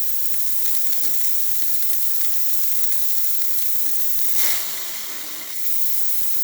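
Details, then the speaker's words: ECM Mechanika IV espresso machine after full service tune-up: steam wand slow to start, then steady even dry hiss without sputtering; normal steam wand operation. "The steam one on these ones take a while to shoot steam, but after it does, as you can see, running nice and low."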